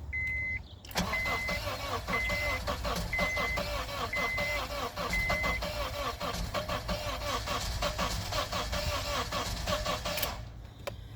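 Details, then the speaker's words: 2004 Honda CR-V towed in with a crank-no-start after starting poorly and running badly; cranked on a jump box, the starter turns unevenly with the odd weak catch but never fires, as if only one cylinder is trying to run; cause unconfirmed, relative compression test next. "Guys, this thing sounds like it's trying to fire on one cylinder."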